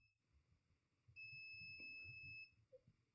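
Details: Dead Mobicel tablet with no power, board running hot at about 84°: one steady high-pitched continuity beep lasting just over a second, probes across battery positive and ground. The supply rail is shorted, traced to the MediaTek MT6323GA power management IC.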